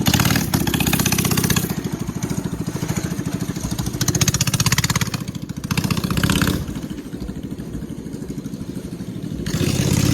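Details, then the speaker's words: Chopper 212 mini bike, front sprocket came off (likely missing screw), test run with exhaust not fully fitted, governor still on: small single chugs crisply at idle, picks up cleanly on throttle blips, no misfire or knock; engine healthy. "And it sound good though. I'm not gonna lie, it sound good."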